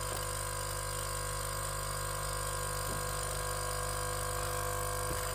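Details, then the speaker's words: Nespresso U XN250 coffee machine at optimum temperature with vinegar descaling solution: loud steady hum, fast even buzz, no gurgle; pump running dry with nothing from the nozzle because the flow meter is clogged. "and we hear the pump, but water is still in the same level, and no water comes out of the nozzle here."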